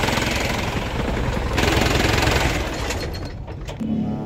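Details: Diesel unit that cranked but wouldn't start, running again after a temporary roadside fix: fast, even clatter of three to four beats a second that then settles; running properly.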